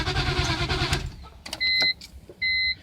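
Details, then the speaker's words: Engine that won't start after its wet spark plugs were cleaned and dried, with fuel pressure at the rail shooting out well and the relay checked fine: about a second of uneven cranking that never fires, then two beeps. Owner wonders about the crankshaft position sensor. Crank, no start. "I don't know now it I mean and it still sounds like it wants to crank every now and then give example"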